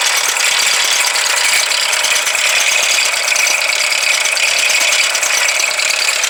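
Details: Mazda CX-5 engine bay: fast, uneven, high-pitched metallic ticking rattle with almost no deep engine tone; dealer-maintained since new, belt previously snapped, source of the abnormal noise unclear.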